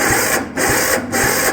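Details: 1971 Massey Ferguson 12 lawn tractor starter whirs in rhythmic pulses about twice a second but the engine never fires, despite cleaned starter, fresh fuel, new fuel filter and confirmed spark; owner suspects an incorrect starter.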